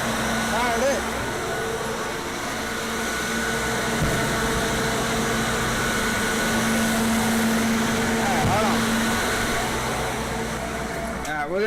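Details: Older standby generator, one of the newer older units, with its muffler still on, running unloaded during a pre-storm test: steady, even engine drone with constant hum, no misses or knocks; healthy.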